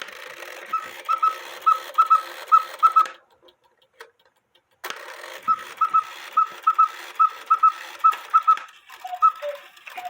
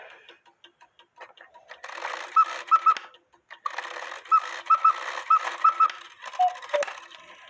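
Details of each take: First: Cuckoo clock with count wheel movement: after the quail finishes its paired chirps, it chirps once more as the lower cuckoo call begins, intermittently; cause traced to the wire that lifts the bird's tail. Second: Count-wheel cuckoo quail clock after adjusting cuckoo bird wire so it no longer catches the quail wire: clean repeated two-note cuckoo calls over soft mechanism ticks, no stray chirp; normal cuckoo call.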